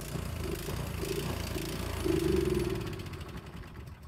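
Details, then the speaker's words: Free Craftsman snowblower reported as a no-start, started with choke on after 3–5 primes: runs unevenly, surging and sagging with a ragged exhaust beat. Suspected to need a carburetor cleaning, not confirmed. "Okay, well it just runs really poorly, so I think it does need a carburetor clean."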